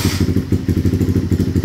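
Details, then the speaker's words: CRF with a newly installed BRT 4-valve head and throttle body, first start, started easily; an even, steady idle thump at about eight beats a second with no knocks or rattles. Engine temperature peaked around 120–121 during ECU setup; normal idle. "untuk starternya sangat mudah gampang karena dia ada sistem Ads jadi untuk stternya itu sangat mudah dan untuk suara mesin halus Ya teman-teman seperti CRF yang biasanya kita"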